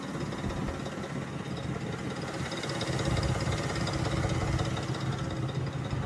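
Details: 2005 Mercury Grand Marquis 4.6 modular V8, freshly rebuilt; uneven knock about three per second over a low rumble. Rod knock ruled out; timing chain rattle traced to failed timing chain tensioners.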